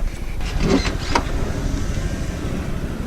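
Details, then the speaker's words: Van sliding door after its rails were cleaned with domestic cleaner and greased with cheap blue grease to cure a noise: low smooth rumble along the track and a soft thud, no squeal at all; the noise is fixed. "一般不会这样看的，哎，车主不会这样看的，已经没有异响了，听。"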